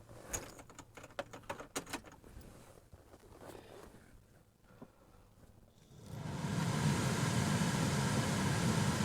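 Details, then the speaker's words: Chevy Silverado cabin blower after the fix, mic placed near the blower: a few handling clicks, then a smooth, steady rush of cold air with no hum. Fixed by cleaning out debris and replacing the air filter. "We got lucky on this one. All it took was cleaning out the debris and changing the air filter on this thing. It is quiet as heck right now."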